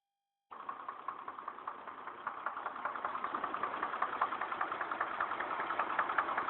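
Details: Chevrolet Trailblazer, about 110,000 miles, trouble code P0014: steady even engine knock about two and a half times a second over a smooth idle; source not pinned down, later resolved.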